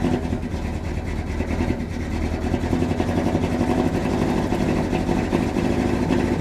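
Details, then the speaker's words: 1971 Dodge Sweptline big-block V8, just started after carburetor float level set low (cylinders had hydrolocked with fuel): uneven, lumpy idle badly missing; firing order checked correct, plugs likely fuel-fouled from flooding. "She's missing something fierce. All right, what's going on here?"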